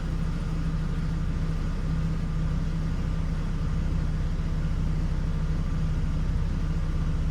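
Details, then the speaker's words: 2006 Hummer H3 that idles low and stalls when slowing, still cold at about 138°F and entering closed loop: low uneven rumble with no steady beat; rough idle, dirty throttle body suspected, not confirmed. "customer complaint is that it they're experiencing rough idle and at times when they slow down or decrease speed, come to a red light or a stop sign, they notice that the idle gets so low"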